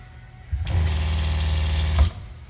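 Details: Shurflo 4008-101-A65 water pump in Escape travel trailer after pressure-switch adjustment (quarter turns counterclockwise with 5/64 Allen key) so it stops after water shut off: short steady low hum, then clean stop; normal pump cycling.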